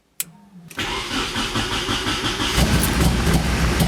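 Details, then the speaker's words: Nissan S13 240SX, heavily drifted, first startup: brief crank then lumpy stumbling running as revs climb, misfiring hard. "that sounds like crap I'm holy so it sounds really really bad it sounds like it's got a misfire something's up"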